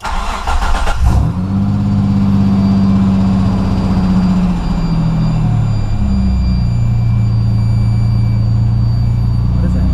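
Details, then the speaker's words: Pajero with new headers/exhaust and newly fitted throttle body, first start, idle resetting: engine catches into a steady low idle with an odd extra note; owner thinks a small air leak at the gasket, later snugged up. "I think I figured out what it was. Must have been a small air leak just around the gasket area."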